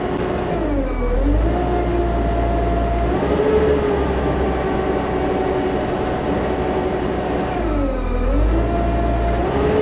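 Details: JLG 80 HX boom lift hydraulics, engine warming up, testing with gauges (about 2400–2700 psi): sustained mid-pitched squeal that dips when the engine bogs then recovers, relief valve blowing off under load; hydraulic relief valve squeal.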